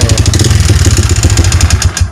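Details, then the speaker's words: Yamaha Vixion idling with oil nearly empty after a leaking clutch-cover gasket drained it: loud, rough, uneven low thumping with a clattery edge; piston-to-cylinder clearance worn from oil starvation, fixed by replacing piston and block. "tumpahnya oli, dan oli itu lama kelamaan bisa mengering, yang terjadilah suara kasar kayak gini. Jadi untuk mengatasi motor yang kayak gini harus kita bongkar mesin, ganti seher, ganti blok."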